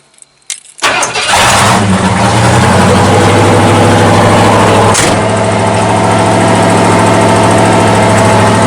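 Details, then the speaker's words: 1979 Ford dentside truck V8 after new Holley carburetor fitted, floats adjusted, choke open: catches and settles into a steady, even idle with smooth low rumble, no misses or knocks; sounds much better. "this sound a lot better H it was sound a lot better"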